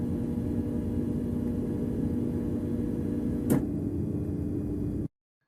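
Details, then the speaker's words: LG refrigerator, typically new, with the water supply not connected and the ice maker left on: steady low buzzing hum with a click near the end as the ice maker tries to take water. The ice maker should be turned off. "if we haven't turn up the water up the ice maker should be turned off because it will attempt to take water and this is a noise you will hear"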